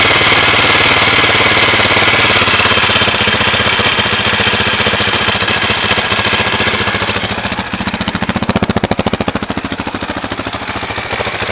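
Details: 2004 KTM LC4 640 single, 11,000 km, Akrapovic slip-on, idling cold at 40°C oil temperature with a little choke; a sharp, even hammering tick three or four times a second over the exhaust, cause unclear.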